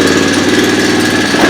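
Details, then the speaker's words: Honda Fourtrax 300 ATV with what is likely a 350 rear end and seemingly butchered wiring. Fast, even metallic rattle over a lumpy idle, continuous throughout. Speaker suggests the timing chain needs changing, unconfirmed. Engine rattle at idle. "hear that rattling in there you go to chain that's the times you change"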